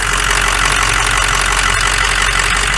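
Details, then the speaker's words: Ford F550 6.0 PowerStroke diesel idling while warming, heard at oil filler: steady clatter with uneven puffing rush; moderate piston ring blow-by, not bad but puffing rather than a steady stream. "we do have some blow by not bad little bit of puffing though a healthy worn engine should be a steady stream coming up out of there it should not be puffing like a train"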